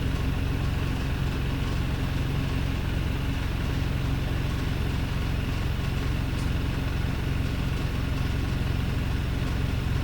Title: Rough Idle: DBNW Wrightbus Streetlite Daimler OM934/Voith SK16 GXU (32306)